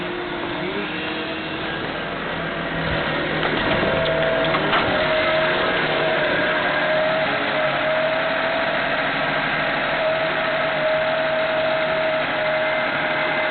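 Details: 1998 Honda Civic, cold idle, codes P0300–P0304 and P1399; new plugs, rotor, fuel filter and PCV valve and adjusted timing did not help: uneven, lumpy stumbling idle with a steady whine; random misfire only when cold, cause unknown.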